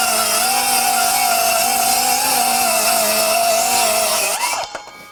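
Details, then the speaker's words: Metabo HPT C1807DAQ4 18V MultiVolt 7-1/4" cordless circular saw, compact 4Ah 18V battery, standard mode (3,800 RPM) cutting two sheets of 1/2" OSB: steady high whine sags slightly as the blade bites, recovers, winds down; slight bogging from pushing the saw. "definitely me pushing the saw. You can hear it kind of bogging slightly."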